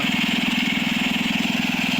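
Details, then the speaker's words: Wheel Horse garden tractor small single-cylinder engine running at a steady, even beat, all gears working, no knocks or misses; an idler pulley has some noise, but the engine runs smooth; normal running. "all the gears work everything's running good run smooth"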